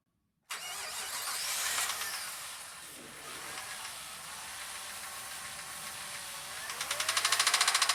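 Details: Jeep Grand Cherokee engine cranks, catches and idles with a sharp, even tick-knock about three per second; owner suspects worn rod bearings, cause unconfirmed; high-mileage synthetic oil with Hyper Lube additive recommended as a quick fix.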